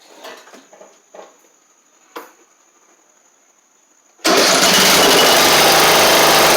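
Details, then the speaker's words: 7-year-old MTD Murray riding mower, oil a little low, first start: quiet clicks, then catches and holds a strong, steady, even roar with no misses or knocks; runs like a top. "now I got h make sure it moves forward and backwards here that's nice man that thing runs like a top"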